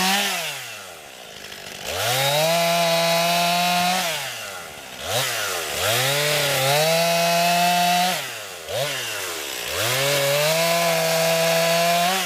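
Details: New 50cc two-stroke chainsaw, about ten pounds, cutting wood from a skidded pile on a cold day: strong howl pulls down steadily under load in each cut, revs back up clean. Owner finds lots of power for 50cc; normal healthy cutting.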